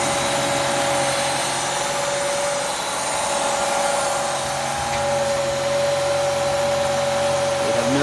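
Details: 1990 Plymouth Acclaim engine racing at a ridiculously high steady idle with a loud airy hiss from a vacuum leak; after the leak was fixed the idle returned to normal.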